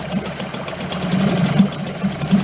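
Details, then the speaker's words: Late-1990s Mercury 5hp two-stroke outboard, bought broken at a yard sale; choke left pulled out flooded it, giving a rough, sputtering, uneven putter that gradually evens out as it clears. "on choke was pulled out I flooded it the choke was pulled out"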